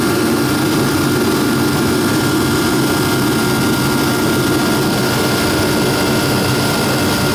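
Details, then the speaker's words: Repaired ProCom Magnum 110VT turbo heater running at 120,000 BTU, dropping to 60,000 BTU after 2 minutes: steady even roar with faint constant whistle, no sputter or surging, working as it should. "now in 2 minutes it will slow down and go down to 60,000 BTU right now it's running at 120,000 BTUs"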